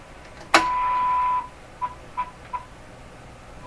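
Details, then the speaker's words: Stromberg Carlson Model 515 radio on the bench with a moderately low-level test signal set to 10: a sharp pop, then a steady test tone dropping out in stuttering bursts; intermittent popping, cause not found. "That's got to be this radio making that popping sound."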